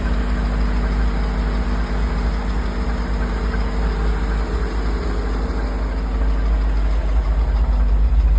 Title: Rod knocking❗️